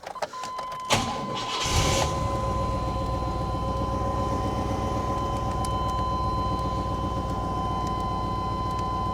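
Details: 1997 Chevy 1500 OBS truck with 330,000 miles, check engine and ABS lights on: short crank, then it catches and settles into a steady, even idle with no knocks or misses; sounds healthy.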